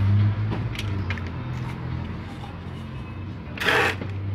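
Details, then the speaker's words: Water pump that only hummed and locked up on start, now running after the rotor was hand-worn for clearance against the stator. Steady low hum with a rough edge, turning freely; noise possibly from worn bearings, with bearings and mechanical seal to be replaced. "y lo que sigue es conectarla y ver qué ocurre posiblemente esto esté ruidoso por efecto de los ballers"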